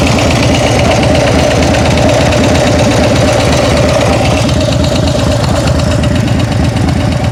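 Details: Idling engine with quick light ticking through steady rumble; owner thinks it comes from the rear cylinder; cause not pinned down; engine ticking at idle.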